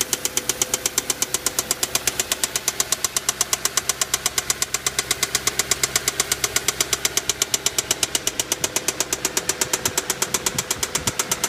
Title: Vw passat w8 problem engine knocking